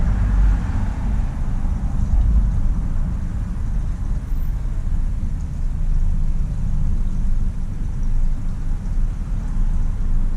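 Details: 1999 vehicle that ran out of fuel, which a shop had blamed on a $1,400 fuel pump, pump heard working, no leaks: engine now running with a steady low even drone under outdoor noise, no stumbling or cutting out.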